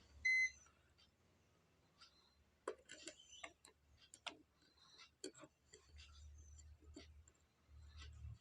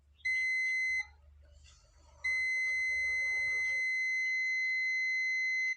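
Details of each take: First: Continuity test on an ACCL (automatic generator changeover) board: short bursts of steady high meter beep about a second apart while probing a coil; the beep is expected continuity through the coil, not a fault. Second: Continuity test on an ACCL (automatic generator changeover with current limiter) board: steady high meter beep, brief break, then a long unbroken tone from the anode of an SMD diode in the last section; the diode reads dead short and has failed.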